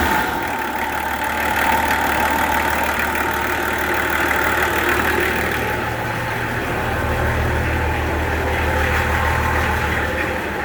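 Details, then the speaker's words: Nissan LD28 diesel truck engine, just started after glowing with a partly repaired starter, idles with steady, even clatter at about four beats a second, no misses or knocks; sounds like a good engine with good compression. "Not only is that running now, but it sounds good. It sounds like a good engine."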